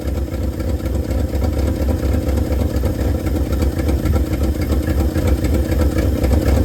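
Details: 1971 Ford F250 V8, first runs after 9 years sitting: deep, steady idle with rhythmic low puffing about four beats a second under the rumble; known exhaust leak, oil pressure 50-55.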